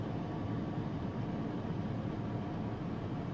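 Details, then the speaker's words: 2002 GMC Sierra 1500 5.3 V8 idling with an uneven, lumpy rumble and heavy shaking; code P0300 random/multiple misfire, a spark or combustion fault. "tiene una falla de qué tiembla mucho y entonces tiembla mucho el motor y vamos a ver qué es"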